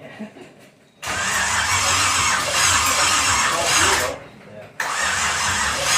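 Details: Pontiac 350 V8 in a 1950 Pontiac gasser with 6-speed, first fire-up with headers on, some fuel in the bowl: two long cranking bursts, about three seconds then one more, never catches; no start, ignition timing 180 degrees out, battery needing a charge.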